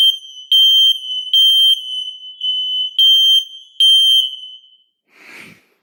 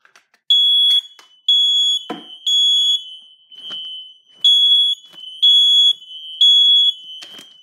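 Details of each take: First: Kidde ionization hardwired smoke alarms (model possibly 1275) on test: loud high shrill beeps in short bursts, slightly out of step as a second interconnected unit joins; sounding correctly, interconnection wiring verified. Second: Kidde ionization smoke alarm, mounted higher than others, smoke-tested: loud high chirps in about one-second bursts with short gaps, but responding slower than the other alarms; owner suspects mounting height, cause unconfirmed.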